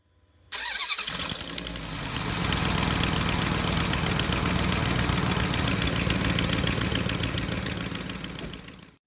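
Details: 2006 Dodge Durango 4.7L V8, 2WD, cranking and idling with a sharp, regular ticking from an exhaust leak at the right exhaust manifold with broken bolts, before repair.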